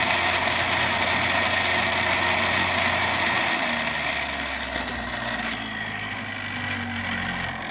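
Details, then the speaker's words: 3D-printed maglev rotor with coil pulled back for speed (reached 7000 RPM), before adding dry lube: steady high whine over a fast even rattle from the dry, unlubricated rotor rubbing. "yeah this thing hum so the lube took away that that whining sound that I had"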